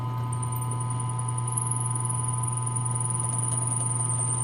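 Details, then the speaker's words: Drill press drilling wood: steady low motor hum with a thin, high, constant squeal as the bit is pulled slowly down, the squeak indicating it is nearly through the hole; normal. "I'm going to grab the lever and I'm going to pull slowly down through my hole. I don't know if you can hear that, but it's starting to squeak. So that's telling me I'm about through the hole."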